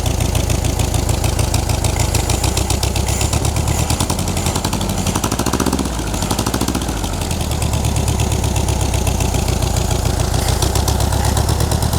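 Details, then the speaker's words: 1960s air-cooled VW dune buggy engine, first run after over a decade sitting and ignition repair: lumpy chuffing idle with an uneven beat that dips and recovers; idle needs adjustment. "We got to mess with this idle a little bit."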